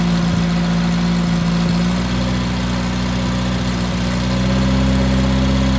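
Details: Fresh-rebuilt VW Type 1 1776cc flat-four (Engle 100 cam, 90.5mm pistons, 69mm crank) bench-started with the Flamethrower distributor while being dynamically retimed: steady, even low idle with a smooth regular pulse, no knocks or misses; normal idle.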